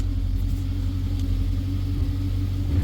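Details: 2014 BMW X5, not the six-cylinder, idling: deep steady low rumble with droning exhaust, louder than stock; owner says it runs very lean, code indicates bad oxygen sensor; cause of drone unconfirmed.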